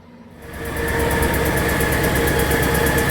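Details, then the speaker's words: After a clutch swap and new headers, head bolts and header studs were fitted, the car started with the same ticking still there. A sharp, light tick nearly three times a second rides over a steady idle, seeming to come from the same side. "okay so at this point we were looking around for the noise and it was still there and it still sounded like it was coming from the same side so we were scratching our heads"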